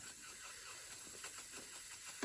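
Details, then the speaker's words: Gaggia Viva espresso machine that makes steam but not hot water: soft, steady hiss of steam from the steam side, working normally; a blocked pipe inside is suspected, and the real cause was a dirty jet needing cleaning. "It's steamy. It's coming out a little bit steamy."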